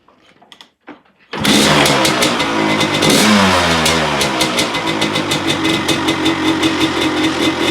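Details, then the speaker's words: 1985 Honda CR250 two-stroke, rebuilt after low compression (barrel honed, new piston, crank seals, clutch cover, inlet manifold), starts with a crisp crackling bark, revs climb and fall back to a steady, even idle; normal running. "thank you okay so she sounds good it goes through the gears we'll uh just run it up the road"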